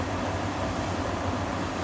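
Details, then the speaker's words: Beko heat pump tumble dryer after replacing the drum motor, whose old winding was open circuit: starts by itself on pressing start, smooth even hum with low rumble, no knocks or scraping; drum running normally. "Turn it on. Press start. Oh, hey! Starts up by itself."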